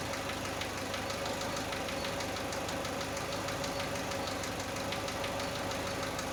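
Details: Chevrolet Aveo at cold idle: a light, uneven tapping of about three per second rides over the engine, heard when the engine is cold; cause unknown; engine knock.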